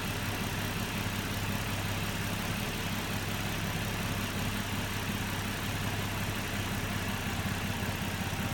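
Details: Nissan Murano at idle: low rumble with an uneven, lumpy pulse instead of a smooth beat; the engine idles rough, cause not pinned down.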